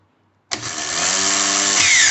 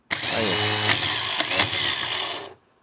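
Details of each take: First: Starter motor, after staying engaged and spinning with the engine: spins up into a high steady whir with a shifting rattle as the bendix drive slides back and forth; worn sliding ring on the bendix shaft where the fork engages. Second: Starter motor that had stayed engaged and spun with the engine, repaired by replacing the worn Bendix sliding part, free-run tested on the bench: fast steady high drill-like whir, then clean cutoff; normal starter motor free run.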